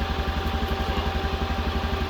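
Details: Utility vehicle (Mule) that would not start, battery apparently not charging, now jump-started with a booster pack: steady, even low putter at idle with no misses, knocks or rattles; healthy idle.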